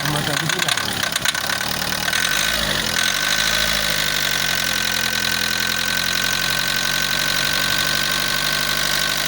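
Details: Diesel with common rail: clattery idle with a sharp, rapid knock over a hissy background; symptoms suspected as the start of a failing diesel sensor, not confirmed.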